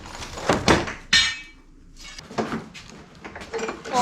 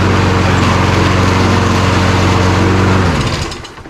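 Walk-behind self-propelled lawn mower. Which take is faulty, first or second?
second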